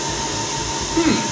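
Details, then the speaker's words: HP ProLiant DL180 G6 rack-mount server running in the room before a soundproof cabinet is built: constant airy rush with a thin steady whine, deafeningly loud cooling fans. "without having to constantly endure the deafening sound of cooling fans."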